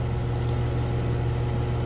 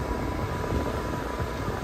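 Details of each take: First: Outdoor AC condenser built June 2016, at spring startup around 65°F: a heavy, steady low hum much louder than the other unit, loud enough to force raising the voice; no cycling or knocking, cause unknown. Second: Gibson air-sweep window AC with a new grille and bracket, run on high cool at spring startup: steady, even fan whoosh with a faint constant hum and no rattle or buzz; it no longer rattles on high.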